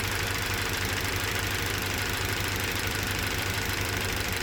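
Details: Toyota Verso 1.8 2ZR-FAE Valvematic, 180,000 km, petrol/LPG: idle with uneven stumbling beat about three per second under hissy top end; cylinder 4 occasional misfire; compression about 13 bar, plugs, coils, injectors fine, no codes; cause unknown.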